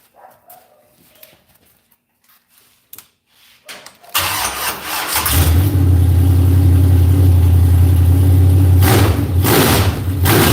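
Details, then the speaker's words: After timing adjustment, set at about 36: fires and settles into a strong, even, crisp lope with steady revs, no longer sounding bound up; timing now close to right. "Sounds better, don't it? That's more close to right. It's about 36 right there. Sounds pretty crisp. It's not near as bound up."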